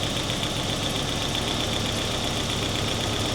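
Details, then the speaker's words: 1988 Saab 900 Turbo after fuel line disconnected and reconnected, now starting and idling well: faint quick ticking and thin high whistle remain at idle; source unclear. "there's still a sound literally all I did was disconnect it here tried to start it fuel spurted everywhere then I reconnected it boom first start and now she's running great"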